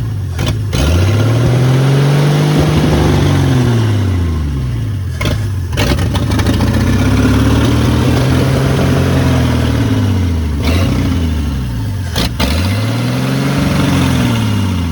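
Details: Long-neglected 1972 Ford F100 Custom, badly leaking carburetor fed gas by hand: engine catches and surges unevenly, revs swelling and sagging every few seconds, then stalls; owner suspects stuck float and fuel starvation.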